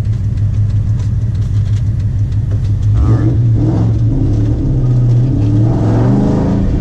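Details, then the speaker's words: Mustang first drive with newly built rear end, Yukon 31-spline differential, 31-spline axles and 4.56 gears: steady low drive rumble rising gently under acceleration, no whine, clunk or howl from the back; rear end sounds quiet and solid. "so just trying to listen for noises see if there's any issues I pretty much don't see there being any issues the rear end should be all solid"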